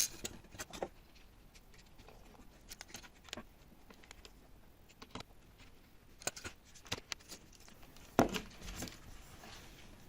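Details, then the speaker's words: Multimeter damaged after being wrongly connected across 220 V: after clicking and handling, a shrill, steady buzzer tone comes on and never stops. The meter is considered junk. "220ボルトの使用中にマルチメーターケーブルを誤って接続した場合、つまり220ボルトの使用によりマルチメーターデバイスに誤動作が発生した場合、どうなりますか?マルチメーターのブザーが連続的に鳴ります。"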